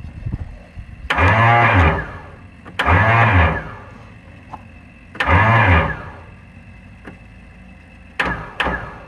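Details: Kohler Magnum 20 engine, first start attempt after repairs: three short cranking bursts, each a rising whir that spins freely then drops out; starter slipping and disengaging, owner suspects broken starter magnets.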